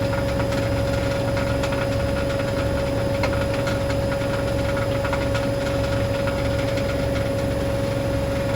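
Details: Hoover DynamicNext DXOA410C3 10 kg, 1400 rpm washing machine on a test spin after complaints it was loud. A steady hum with an irregular metallic rattle; the cause is believed to be a £1 coin under the heating element.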